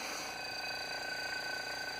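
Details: Old Philco Advanced Design refrigerator compressor running, drawing about 2.6–2.8 amps, around 200 watts: steady even hum with faint high whine, no knocks or rattles; running normally.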